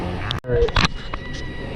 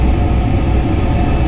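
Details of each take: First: Furnace believed about nine years old, cold day (27°F), blower running: thin steady whistle of several fixed high pitches over blower rush as air is sucked in at a leaky cabinet seam near heat exchanger pan; air leak to be sealed. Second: Furnace after service of a noise call with a seized inducer motor and cracked heat exchanger: steady, even low hum over airflow rush, no rattle or rubbing, after the blower motor was elevated with a tie wrap; some air leakage heard.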